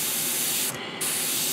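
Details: Gaahleri GHAD-39 Advance airbrush spraying paint with a steady, even hiss and a brief clean pause. No spitting or crackle, so the spray is smooth and controllable.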